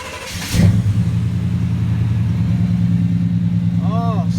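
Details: Truck after fixing an exhaust leak by reusing copper collector gaskets with red high-temp RTV: engine catches and settles to a steady even low rumble with no ticking or puffing at the manifold; exhaust sealed.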